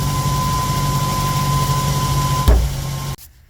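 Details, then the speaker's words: 2008 Mazda 3 recorded from underneath the car: steady high whine near 1 kHz from the in-tank fuel pump over the low idle rumble; the noise stops when the tank is hit; worn fuel pump, module replacement. "so this car had uh the problem the noise in the fuel pump so we start the car when I hit it the petrol pump"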